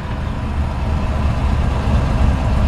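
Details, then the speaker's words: 1954 Ford F-100 V8 driving under way: deep steady rumble pulling smoothly, no knocks, misses or rattles. "The neighbor ladies get a little upset with me, but you can hear the engine run strong. Transmission shifts perfect."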